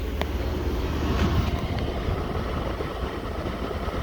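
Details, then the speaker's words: Mercedes W124 300E, M104 engine, idling smooth and silky again after its deteriorating soy-based wiring harness was replaced with an updated one; low, steady rumble with no misses, surges or stumbles, normal idle. "this uh does seem to be idling smooth up again so that's that's the issue that i had"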